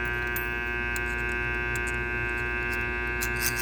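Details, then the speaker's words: Small armature on a growler tester with a razor blade run over it, short deliberately created: steady mains hum with buzzing rattles as the blade passes the shorted commutator segments. "so if there is a dead short in the segments or the ground I think the whole thing is going [Music] to that's the same same scenario right there"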